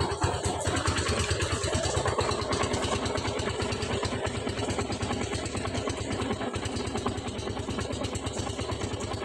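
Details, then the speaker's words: Rusi 250cc motorcycle that stalled and wouldn't start, found to be a fuel problem that also drained the battery; after putting the tank back on it idles at a steady even single-cylinder beat, no misses, running fine. "So naging problema lang po yung gasolina an kaya namatay yung battery niya So all good na po yung ating motor so aandar naman to"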